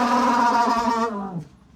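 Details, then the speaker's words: Bus's factory rear air conditioner blower running with a loud wavering whining hum, then winding down; unclear whether from motor or idler side; cause dry, worn motor bushings. "today's project is we've got a mechanical problem with the fan I'll turn it on for you so you could hear it"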